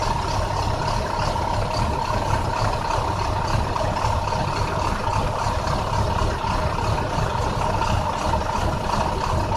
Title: 2009 international Bus bad misfire